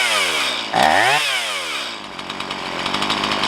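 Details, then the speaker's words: Stihl MS170 chainsaw with 16-inch bar, upgraded with Farmertec parts, after setting idle mixture: drops from high rev, picks up cleanly, settles to steady even idle; normal idle. "And now we can adjust the idle speed. This is good enough. Nice."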